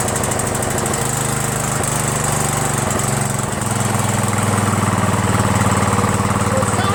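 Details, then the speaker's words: Troy-Bilt lawn tractor, Briggs Intek single-cylinder, before carburetor replacement: beat keeps rising and falling, surging, worse under belt load; mixture screw makes no difference, and the owner suspects a jet he drilled out too far. "I think this might be the one that I am drilled up a hole not 100% sure if that's it but it runs terrible like it doesn't surge right I think maybe the hole might be drilled out too much and I can't even adjust it"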